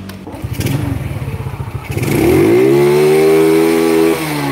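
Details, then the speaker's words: Honda Grand motorcycle with FEX aftermarket CDI fitted during ignition testing: engine climbs fast and cleanly to a steady high rev with no misfire, feeling lighter and freer than with the Fukuyama CDI; healthy free revving. "Wih, anjir, ini lebih enteng dari Fukuyama, Cuk."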